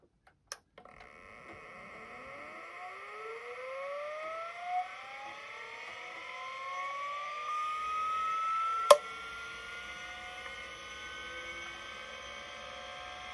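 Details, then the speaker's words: 1980s 5.25-inch vintage hard drive after replacing a bad 22 µF 20 V capacitor on its board: whine climbs steadily in pitch for several seconds, then a sharp click; abnormal spin-up, board suspected further damaged, cause unconfirmed. "So something must be messed up on this board. It was on this board that the bad cap was."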